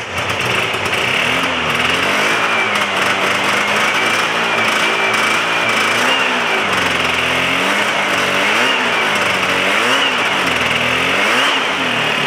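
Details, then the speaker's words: Free Yamaha Phazer 2 snowmobile with fresh gas: buzzy two-stroke surging and sagging unevenly with throttle blips; owner suspects running on one cylinder, thinks it needs new plugs. "to me it sounds like it's run on one cylinder I think it needs set of plugs"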